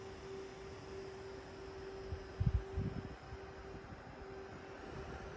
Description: It's definitely something in the GPU, but I dunno. It's probably the left fan, but this still sounds like coil whine.